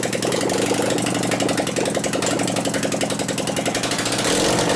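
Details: 2001 Gilroy Indian Chief V-twin race bike being rebuilt, run with no exhaust pipes: uneven stumbling beat with gaps where firing pulses should land, one cylinder barely firing; suspected dead cylinder from intermittent ignition fault.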